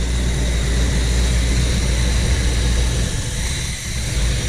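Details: 1975 Chevy C10 with factory Quadrajet carburetor, after fixing a high warm idle (about 1600 rpm); now steady, low, even V8 idle, normal.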